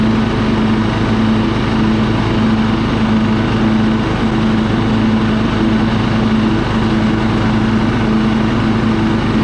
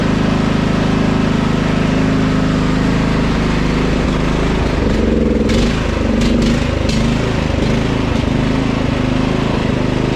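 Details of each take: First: Husqvarna LT 1538 mower, Kohler CV15 engine, after cleaning the carburetor of old ethanol fuel that caused surging and stalling, warm at idle: steady, even single-cylinder beat with no hunting or surging; normal steady running. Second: Husqvarna LT 1538 mower, Kohler CV15 engine, mows for a while then quits: idle won't hold steady, rising and sagging every second or so; surging from a carburetor fouled by old ethanol fuel, fixed by cleaning the carburetor.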